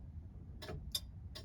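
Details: Mk2 Ford Escort rally car, after reconnecting loose connector on back of hazard switch that had stopped the indicators: crisp regular flasher tick about three clicks a second; indicators now working normally.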